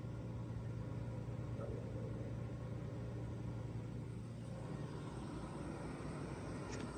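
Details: 1985 Ford F-150 4x4 XL, 4.9 L inline six, started after sitting a couple of months, smog pump disconnected, exhaust smell: low, smooth six-cylinder hum idling steadily without stumbles or tapping; healthy.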